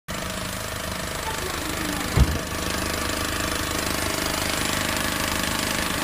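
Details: New Honda Civic engine running: steady hum with a fast, even ticking on top plus one sharp clunk early on; engine ticking noise, source unclear.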